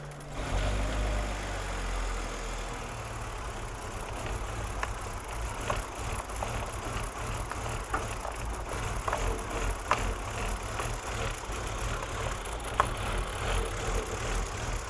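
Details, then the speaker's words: BMW E46 330i with a low, uneven rough idle, irregular stumble and loose rattles. Stored codes and a very low vacuum reading (about 1.2–2 millibar) suggest a massive vacuum leak or a failed crankcase breather (CCV cyclonic oil separator), which is also suspected for the smoke. The cause is suspected, not confirmed. "So based off what we're seeing with the codes as well as how this thing is running it's probably got a massive vacuum leak somewhere or a failed breather cyclonic oil separator CCV"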